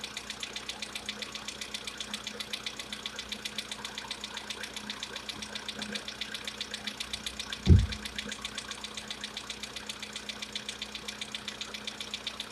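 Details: VW Polo Sedan, CFNA engine, at idle: rapid even light knocking with one louder thump midway; cause unknown, owner tests whether decarbonization cures this known knock.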